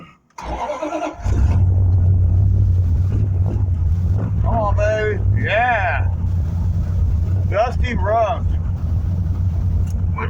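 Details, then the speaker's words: 1974 Plymouth Duster 318 four-barrel V8, new Optima battery, fuel poured into the float bowls: engine catches and settles into a steady, deep, even idle with no knocks or misses; normal idle after cold start. "so we got a battery in it we got fuel right into the float bowls and down them stems we're gonna see if we can start the uh the old car oh yeah"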